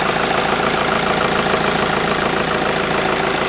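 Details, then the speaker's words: Mk V Golf GT TDI diesel idling with a defective engine light: a steady, quick chuffing puff from a leak low at the back near the turbo. Suspected missing bolts or the S-bend EGR pipe. Exhaust leak. "I'm going to let it sit and it's blowing from somewhere. Can you hear like a... I'm going to rev it a tiny bit."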